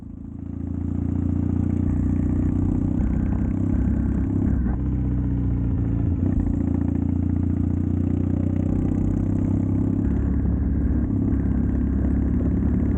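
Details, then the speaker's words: Triumph Bonneville T100 with drag pipes after air baffle removal and stage 4 ECU tune, on test ride: deep even grumble through gear changes and throttle, no pops on overrun; backfiring fixed, torque back. "I like to low grumble. I've now got the low grumble, backfiring stopped, popping stopped. The bike absolutely runs like a dream."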